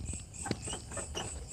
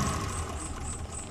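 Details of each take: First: Suzuki Carry Extra engine shaking and using excess fuel: starts easily, then idles lumpy and uneven with recurring stumbles; suspected dead spark plug or points gap too small, a cylinder misfiring. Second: Suzuki Carry Extra after replacing all four spark plugs to cure shaking, limping idle and high fuel use: smooth, steady idle with even low rumble, no shake or misfire stumble; engine now idles stably.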